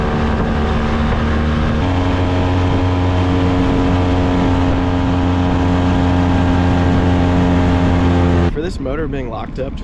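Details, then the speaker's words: Honda 20hp outboard restored from seized, under way and up on plane: steady, even drone with strong low hum, no misses or knocks, running super smooth with good compression; normal running. "Running super smooth. Got good compression."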